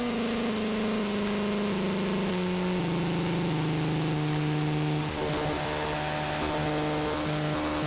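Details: Interference across the entire AM band: rough buzzing drone whose pitch drops in steps, then wanders and jumps back up; not apparently RF, owner suspects an electromechanical motor, possibly from the industrial park two blocks north.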